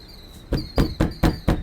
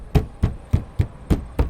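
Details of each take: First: Fist tap test on the sidewall of a 2001 Marathon Prevost XL2 motorcoach: six firm knocks about four a second, each followed by a hollow loose rattle, indicating delaminated sidewall panel. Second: Fist tap test on the sidewall of a 2001 Marathon Prevost XL2 motorcoach: seven firm dull thumps about three a second with solid low tone and no rattle; this panel sounds well bonded, unlike delaminated ones.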